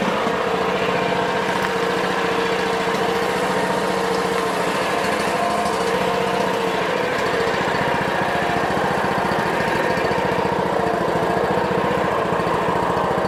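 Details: Honda small single-cylinder engine, started on choke after a governor adjustment: runs at a steady, even speed with no hunting or surging; governor working normally.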